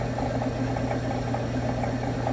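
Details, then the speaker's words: Bennett Type 40 pumping unit in a vintage Bennett gas pump, run after resetting the meter and flipping the switch; low, steady hum with even soft churning pulse, no knocks or rattles, "very smooth", a normal healthy pump motor. "Oh, that sounds beautiful. Isn't that smooth? Very smooth."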